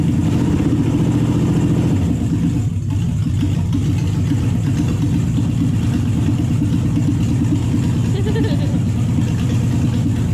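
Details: Toyota/Lexus UZ-series V8 on the Spitronics ECU, first start in this setup, cold with no radiator and the map barely adjusted. Lumpy, loping, uneven idle, dropping several cylinders; the owner is unsure whether the coils are good and the cause is unconfirmed.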